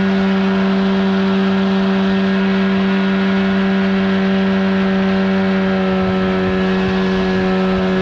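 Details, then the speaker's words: 1979 Evinrude 35hp outboard on the water after adjustments; it earlier failed to reach wide open throttle. Air box removed, insulation recently added. Now a loud, steady drone at one even pitch, no stumbling or surging; pulling cleanly at speed. "oh she's running just fine now no issues"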